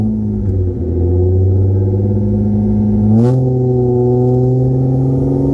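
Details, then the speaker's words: 1993 Toyota Camry SE V6 5-speed, rusted-out muffler removed, direct pipe: deep raw unmuffled note, rough rumbly idle swelling sharply on a quick blip; straight pipe. "to give you a nice little startup of her without the muffler just direct pipe for three vc"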